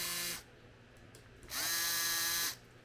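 Short bursts of a small electric pump whining at a steady high pitch, starting cleanly and stopping sharply; the pump is running normally.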